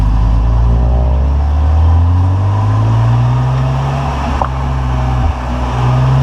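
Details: 2004 BMW 330i ZHP E46, 6-speed, poly diff bushing, while driving: steady drone with a single dull clunk, presumably from the newly installed Wavetrac LSD; it started after installation and occurs only at operating temperature, never cold.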